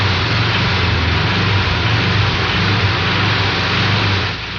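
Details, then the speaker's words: Air-cooled Volkswagen engine revving: rapid rod knock that flutters in and out as the engine is accelerated until loaded, then fades as revs drop. "Notice how the rod knock noise flutters in and out as you're accelerating loaded."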